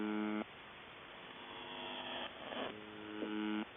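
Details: Harsh, steady raspy buzz in two long stretches cutting in and out from the buzzer; abnormal buzzing, cause unknown.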